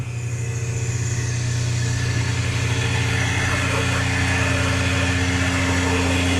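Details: A spare freshwater pump was jury-rigged to feed the high pressure pump of a catamaran's watermaker. There is a steady motor hum with a fast, slightly pulsing beat that builds as boost pressure rises, never dropping to zero, then holds even. The pump is running normally.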